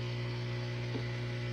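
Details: Kenmore Quiet Guard dishwasher with standing water in the tub: steady low electrical hum, no gurgle or water movement; drain pump energised but not draining, cause not confirmed.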